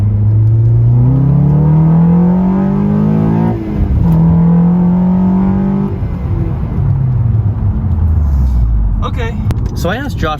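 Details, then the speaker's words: 9th-gen Honda Civic Si with a new Acuity cold air intake, at wide-open throttle in second gear while data logging. The note climbs smoothly, then drops at the shift, with no misses or stumbles. Normal acceleration; the owner says it felt good. "i'll floor it in second gear and see how it does"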